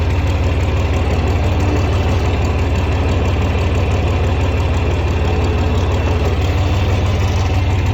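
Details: 1961 John Deere 4010 tractor with 7700 combine engine swapped in 2015, starts easily: deep, steady diesel idle with even low thrum, no misses, knocks or surging; normal diesel idle.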